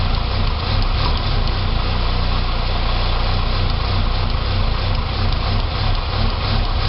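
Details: 2006 Saab 9-3 2.0T after an engine rebuild: a deep idle with an uneven, lumpy pulse and no single knock; it runs great with throttle. Rough idle, possibly vacuum-related, unconfirmed.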